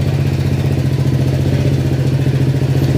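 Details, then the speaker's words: Honda ADV160 scooter with rebuilt top end (sold as super stock, found ported with stock cams, new head, tensioner oiled), loud pipe, odometer 37 km: loud steady exhaust thrum, no ticking or clatter on top; normal idle. "Naka-pipe siya mga sir, kaya parang kala nyo medyo maingay pa."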